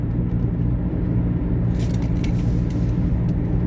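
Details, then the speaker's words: Taxi at cruising speed. Low, steady droning rumble under the road noise, like a propeller plane sound effect in a movie; worn wheel bearing drone. "Oh, you must hear that. It sounds just like the sound effect for a propeller plane in a movie."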